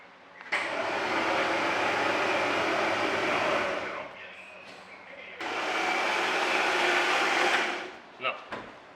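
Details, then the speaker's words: Rallygolf (VW) on first start after a 3-month rebuild with a new programmable standalone ignition and a connector possibly pinned wrong: two spells of steady starter whirring, about three seconds each, cranking slowly without firing; crank no start, no spark. "No sparky spark? Well, maybe I didn't crank long enough. It takes a second. It's too slow."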